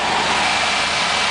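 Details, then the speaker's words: Gasoline 350 V8 Chevrolet K5 first cranked after 6 months of repairs, cold night about +1 to +2 °C, service engine soon light on: steady, even hiss and rumble with no misses or knocks; normal cold idle. "it's working it's alive after 6 months of hard work"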